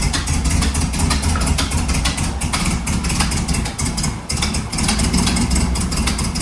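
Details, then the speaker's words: Rebuilt 1300cc Volkswagen Beetle air-cooled engine on first start, carburetor being adjusted, generator light out, slow oil pressure light: loud idle with uneven, lumpy chuff and irregular misses; running choppy, cause not yet found. "Right now, I'm just playing with the carburetor, making sure that everything is good. right now it's sounding really choppy and it was one of the first things that I noticed."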